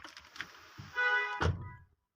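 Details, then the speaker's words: Oshan X7 front left door after tightening loose door panel bolts: one solid, clean thud as the door shuts with no buzz or rattle; the earlier door noise is gone. "तो अभी मैं दोबारा दरवाजे को खोलता हूँ और इसको बंद करता हूँ। ये देखें अब आवाज़ हमारी बिल्कुल ख़त्म हो गई"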